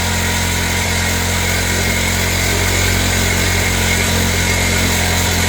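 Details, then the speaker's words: MVP 49cc Chinese two-stroke scooter, new carburetor, choke now open, left idling: steady, even putter with no misses or surges; starts and runs, not yet tested under load, exhaust still restrictive. "I don't know. Is it fixed? I don't know. It's different. It's It's running. It starts. It runs."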